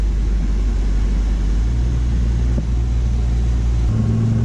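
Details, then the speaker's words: 1985 Ford Mustang LX 5.0 V8 Foxbody after cooling system flush, sat three years, on the road: deep, even rumble with smooth pull and clean gear change, no knocks or misses, temps and pressure holding; normal running. "running good sounds good temps good i can't stop smiling"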